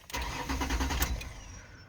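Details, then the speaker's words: 2004 Ford Explorer with intermittent P0300–P0306 misfire codes, before fuel filter replacement: takes two tries to start, owner manually pumps fuel to the line; brief cranking catches and runs rough. Owner suspects fuel blockage; hard starting. "it's starting like it takes two tries to start it like I have to actually manually with the pump put fuel on the line so"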